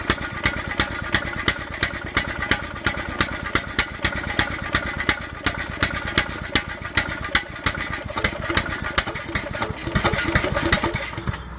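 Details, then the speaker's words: Riding lawnmower not run in years, carburettor cleaned, fresh gas, used battery charged overnight, first crank: steady cranking chug about three beats a second, a brief catch near the end, then fails to keep running; fires briefly then stalls. "so she fired off once ran for a second and then quit running so I don't know what that means"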